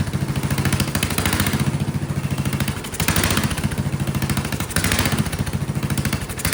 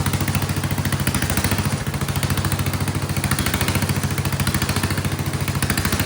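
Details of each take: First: Vintage Kohler motorhome generator, big flathead engine (guessed 400–500 cc), first start on gravity-fed carburetor with choke shut: loud thumping single whose speed swells and sags every couple of seconds, surging violently; owner suspects dirty carburetor jets or poor fuel delivery. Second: Vintage Kohler generator with big flathead engine (guessed 400–500 cc), free yard-sale unit, float spring removed, running a shop vac: loud, steady single-cylinder thump, load stops the surging; still surges a bit, suspected fuel delivery/carburetor issue.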